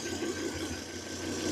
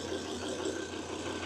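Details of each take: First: Volvo with new spark plugs and coils, scanner suggests cylinder 5, checked cylinder by cylinder with scope: steady idle with faint irregular stumble in exhaust pulse; misfire found occurring on cylinder 3 at idle. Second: Volvo after misfire diagnosis, with new plugs and coils already fitted; the scanner blamed cylinder 5 but the oscilloscope found cylinder 3, with aftermarket coils in question: smooth, even idle hum with no stumble, misfire gone.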